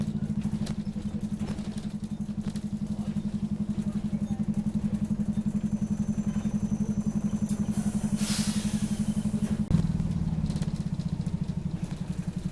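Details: Optare Solo bus OS20 YJ12GVR on route 309, Poplar to Canning Town, with squeaky noise: coarse rapid clatter about four beats a second over a steady low engine drone; heavy engine thrash, cause unclear.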